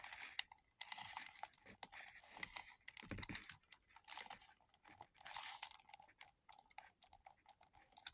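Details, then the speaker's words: Cheap lightweight-plastic PlayStation gamepad flexed by hand: dry crackly creaks in bursts as the two shell halves rub at loosely fitting seams; the shell barely fits together. "because if you can hear that creaking I can tell you that the seams two halfs actually rubbing against each other so you know whole thing barely fits together"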